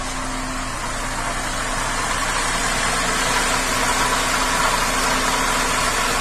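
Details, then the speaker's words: 2007 Cadillac STS 3.6, bank 2 misfire on all cylinders with P0017/P0019 exhaust cam codes, after commanding bank 2 exhaust cam advance to about 20 with scanner: even, steady idle with smooth hiss, no stumble or miss. "Set it about 20. And this thing runs smooth as a top now."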